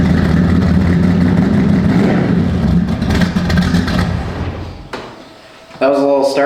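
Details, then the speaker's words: Z28 with a 388 V8 on its old exhaust, before a 3-inch stainless system with electronic cutouts: deep, lumpy rumble settling into a steady, even idle with no knocks or ticks; sounds very healthy. "It's got a 388 in it that sounds very healthy."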